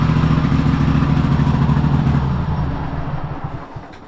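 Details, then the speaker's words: Cub Cadet Super LT1554 lawn tractor, 27 hp Kohler V-twin, 500+ hours, after head gasket replacement and new oil, fuel and air filters: rough uneven beat that sags and fades; runs poorly, owner guesses carburetor needs cleaning. "All right, well, it's not running the best. Um you know, it probably needs a carb clean my is my guess."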